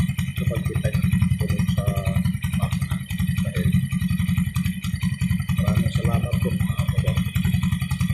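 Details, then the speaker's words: Warm 100/110/125cc single-cylinder motorcycle engine ticking over with a hollow marble-like rattle on each firing pulse, sounding after the throttle is revved and released. Piston slap from a loose, worn cylinder bore. "Uminit na yung makina, makalansing na yan. Pagka nag-revolution ka at pinitawan mo, saka sa tinutunog."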